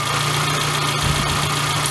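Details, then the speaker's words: Suzuki Sidekick/Geo Tracker petrol engine idling, with P0171 (lean) logged; a vacuum hose is pulled off deliberately, giving a steady high hiss and slight stumble in the idle. The real leak was fixed by clamping all vacuum lines. "so i p if i peel off one of the hoses here and create a real leak you can hear the vacuum pulling"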